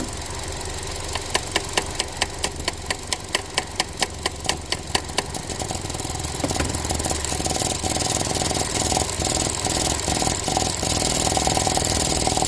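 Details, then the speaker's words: Ford Transit Connect that dies randomly, idling cold while warming up: a sharp tick repeats about twice a second, then falters and turns irregular. The purge valve sticks open when it should be off, drawing fuel-tank vapor; purge valve is faulty. "it's not supposed to be on right now it's still warming up it's cold now watch got it here stuck again it won't turn on it stays hung open over and over an"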